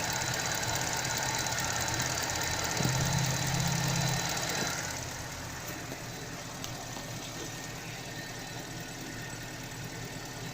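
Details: Car with an alternator or serpentine belt that squealed in cold weather, after silicone grease was applied to both belt surfaces: steady idle that settles quieter partway through, no squeal or chirp; the belt drive runs smoothly.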